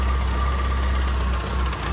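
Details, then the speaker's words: Classic Mini 998 after carburettor tuning with a leaner BBO needle, dashpot oil lightened: smooth, steady low idle with an even beat, no misses or rattles; set up and running perfectly, normal idle. "so we're all done this is all set up ready for driving runs perfectly yeah very happy with that"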